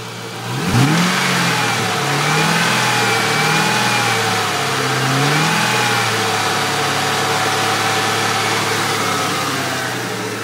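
Engine blipped from idle several times and then held, with a rough knock under the revs; cause not confirmed, possibly a bearing.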